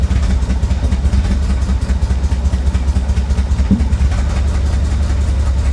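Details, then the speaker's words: Chevrolet C4 Corvette recovered from a Florida swamp: low, lumpy idle with uneven pulse, ready to stall; owner suspects ignition timing, firing order checked and appears correct; rough idle. "come on old girl boy it just sounds like the timing is off or [Music] [Music] something come on come on come on woo she is not [Music] happy not not happy at all"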